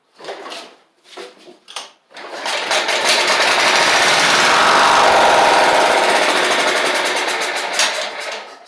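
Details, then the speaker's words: Toro Proline walk-behind mower with Kohler Command engine, sat since April, new spark plug fitted, before carb replacement: short cranking bursts, then catches and races only on starting fluid; owner suspects clogged carburetor. "And what I'm going to show y'all is that it runs. So on starting fluid, which is good."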